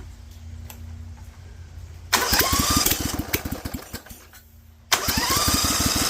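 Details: Rebuilt Vanguard 16HP V-twin with a 23HP carb on choke at 66°F and 100% humidity, open air filter and header so it gets too much air: catches with loud uneven popping, dies after two seconds, then fires again roughly. Hard cold start.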